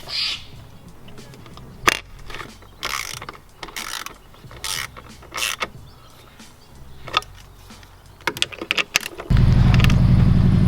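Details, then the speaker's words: Subaru STI after AC idler pulley replacement: the engine idles with an even, steady hum from the belt drive, with no squeal or chirp from the pulleys. The earlier noise is gone and the belt drive sounds normal. "she sounds great I don't hear the noise that I was making anymore so that's a good thing"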